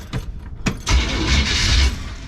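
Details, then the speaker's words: V8 in a G10 van with a history of hard starting and an occasional loud bang on startup, cold weather: short crank, catches and settles into a smooth idle with no bang; clean start. "that sounded okay"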